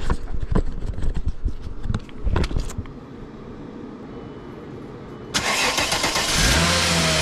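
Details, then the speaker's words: 2000 VW Eurovan on a cold ~20° December morning, started after replacing noisy A/C compressor (new compressor, clutch swapped): a few clanks, crank, then smooth settled idle with no squeak or chirp from the belt drive; bearing noise gone. "go all righty everything looks good getting nice and free nice and quiet"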